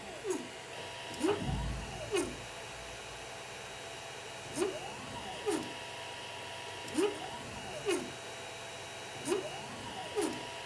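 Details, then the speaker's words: 3D printer moving on its axes with stepper chirps over a faint hum and buzz; vibration noise is reduced but not gone after upgrading the 3DTouch/BLTouch bed sensor to the plastic-pin model, and another unlocated vibration source remains. "it's true that the new sensor has a tighter tolerance and that pin doesn't vibrate as much in the body of the sensor but still the vibration is not completely gone"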